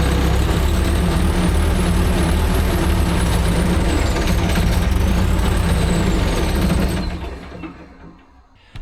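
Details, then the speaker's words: Diesel engine of an ASV RC100 skid steer runs with a steady low drone about seven seconds, then dies, at first start after full service with new oil, fuel and hydraulic filters; may need priming, not confirmed. "Figured that was going to happen. So, let's see if we can fire it back up."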